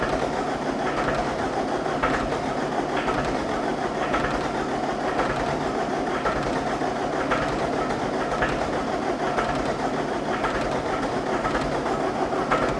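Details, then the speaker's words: 2010 John Deere 320D with John Deere 4024 diesel engine, auction machine hard to start cold, on jump box: uneven chuffs about once a second, now firing on more cylinders but not yet running. "Oh yeah, now it's hitting on more cylinders."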